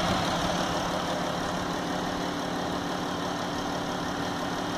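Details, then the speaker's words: New 2016 Dodge Grand Caravan 3.6L VVT V6 with 7,000 miles at idle, quieting about 20 seconds after startup: steady even idle with faint slow ratcheting/clicking tick under the hum; normal running noise. "you can hear you know about 20 seconds into starting up it it really quiets down there is like a ratcheting or a clicking but it's pretty quiet pretty slow"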